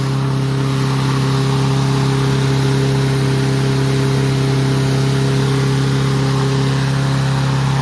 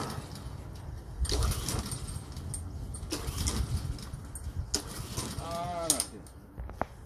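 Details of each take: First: Troy-Bilt mower with Honda engine, after carburetor cleaning and draining water-contaminated fuel (fresh gas), previously would not start: smooth constant high-speed drone, steady hum, no stumbles or surging; runs cleanly, RPM noted high. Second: Troy-Bilt mower with Honda engine: three pull-cord cranks, each a short churning burst that never fires; no start, with water found in the fuel drained from the carburetor.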